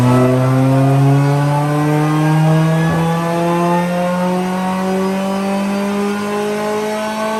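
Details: 1998 Honda Prelude with Jackson Racing supercharger, Crane Cams ignition, DC Sports header, on dyno after distributor ignition timing adjustment: smooth, steadily climbing note through a full pull with no stumble or misfire; back to about 159 hp at the wheels, rich in VTEC.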